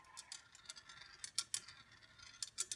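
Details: Congreve clock after oiling the pivots, adjusting the escapement and levelling with shims so the ball rolls: light crisp metallic ticks and clicks at an unhurried pace as the ball rolls and trips, running properly.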